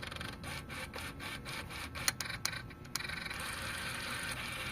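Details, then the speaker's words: Mitsubishi Lancer GLXi with high fuel consumption, key-on ignition: idle air control servo gives rapid, uneven buzzing chatter that keeps repeating instead of one brief sound; servo faulty, to be replaced. "So yun yung tunog ng servo niya mga boss, na dapat bagya lang. Sa unang tunog yun lang dapat, pero dapat wala na siyang kasunod."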